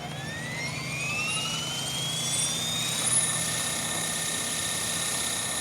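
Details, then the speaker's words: Blade Fusion 480 Stretch helicopter with Spektrum 6250HX, after lowering tail I gain to 65: smooth rising rotor whine settling to an even high hum with no wagging or pulsing; tail holding steady. "That's a lot better."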